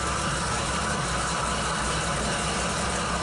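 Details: Jeep with old Carter carb, first run in three years, no alternator fitted, idling at night: even, steady low rumble with no misses, knocks or hunting; running healthy.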